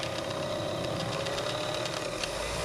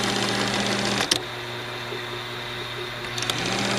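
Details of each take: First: Revere 85 movie projector after oiling: busy, even mechanical whir and chatter whose pitch sags when the clutch drive is engaged, motor slowing under load; may just need running in. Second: Movie projector: fast, even mechanical chatter that briefly slows, then picks back up to a steady whirr, running smoothly and faster than before; take-up reel still not working.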